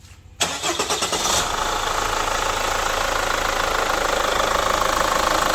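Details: Chevrolet Captiva FL diesel, cold engine start: cranks about a second with uneven chugs, then catches into rough, clattery idle; hard cold start, blamed on injector and turbo faults, fixed with cleaning, injector rings and check valves, turbo hose.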